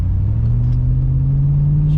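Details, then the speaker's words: 2001 GMC Yukon tow rig on test drive after transfer case and rear diff repair, previously clunked on takeoff: steady low exhaust drone pulling away, no clunk, rear axle quiet and smooth. "she's quiet now. All I hear is the exhaust."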